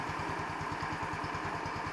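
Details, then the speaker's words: 150cc Chinese scooter with electronic choke; light single-cylinder putter about nine beats a second, slightly uneven and hesitating when first started, tends to stall at stoplights until warm ~5 minutes; hesitating idle, owner suspects idle mixture. "you hear it's hesitating is that normal when it first starts should it should it do that"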